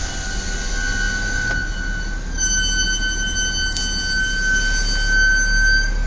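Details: Brand-new Audi S4 B8 Avant (12/2011): extreme sustained high-pitched brake squeal around 1.5 kHz, coming and going as the car rolls and brakes; present from new, Audi seemingly has no fix.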